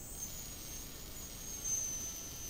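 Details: Quadcopter brushless motor run by its ESC, powered from a 9V battery through the receiver after throttle calibration: a thin, high electric whine holds steady over light hiss as it spins up; the ESC responds normally.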